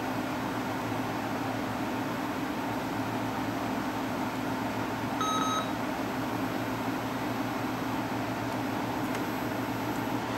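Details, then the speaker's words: Packard Bell PB686 monochrome monitor driven via CGA card with motherboard set to monochrome, tiny font: thin steady very high switching/sweep-frequency whine over room hum, louder than normal; improper drive signal suspected, not confirmed. "I can hear the switching frequency or the sweep frequency. And normally with this monitor, you don't hear that, or at least it's not quite that loud."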